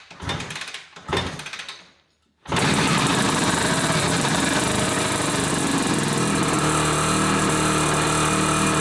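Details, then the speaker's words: 1981 Suzuki GT250 X7 two-stroke barn find after full rebuild, start after air screw tweak and starting spray; fires with harsh, buzzy, uneven note, running on one cylinder; misfire, owner suspects carburettors. "Huh. I think it's only running on one cylinder. Yep, definitely running on one cylinder."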